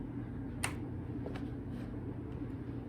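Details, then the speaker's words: Wrecked special-edition Yamaha R6 that fires but won't run: one sharp click over a low hum, no crank; owner thinks the battery is dead, cause unconfirmed, fuel pump or relay also suspected for the no-run. "oh the battery must be dead that was a fail"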